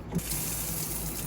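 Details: Newly installed Delta Varos single-handle kitchen faucet run hot and cold to flush: smooth, steady rush of water with no sputter, hammering or hiss; flows normally.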